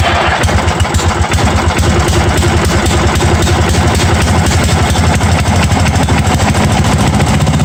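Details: 1982 John Deere 108 mower being built as a mud mower, first start on a different replacement carburetor: single cylinder thumping at steady idle with regular firing pulses; starts and keeps running.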